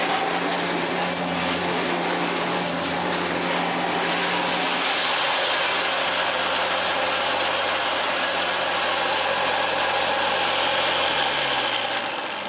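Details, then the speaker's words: Hitachi Powerhouse CV-460D upright corded vacuum, circa late 1980s–early 1990s: steady motor whir with rough gritty hash from the brush roll that worsens in use; suspected collapsed brush roll bearings. "There is some flipping horrible noise coming from the brush roll, and these things have, and I have had this on actually a 90s Powerhouse, the grey one that came after. The bearings collapsed themselves on the brush roll."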